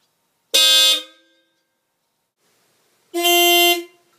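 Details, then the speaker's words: Dodge Ram 50 / Mitsubishi Mighty Max with newly installed Hella Supertone horns on relay, 600-volt-rated wire: two loud, clean half-second blasts, bright steady tone, no rattle or fade; horns working properly. "But yeah, that's it. Just tested it out. It works."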